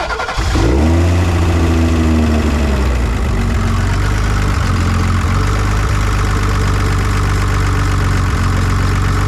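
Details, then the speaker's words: 1986 BMW 325e E30 sedan that cranked but wouldn't start: the starter cranks, then the engine catches and idles steadily only on fuel sprayed by hand; the injectors weren't delivering, with one clogged and five low-flow, and new injectors were ordered. "Alright, so we're gonna try keeping it running with a spray bottle, and then putting this back on, see if it works."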